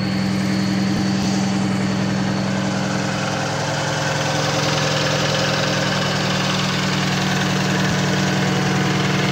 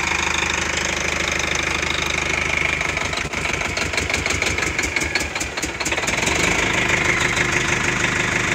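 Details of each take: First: Cummins diesel truck idling while warming up: steady idle with a light rhythmic clack about three or four a second from the air compressor; normal, nothing wrong. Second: Old military truck diesel suspected of having a dead injector: harsh drone with an uneven, lumpy beat and irregular knocks, like a cylinder dropping out; misfire suspected from the injector, not confirmed.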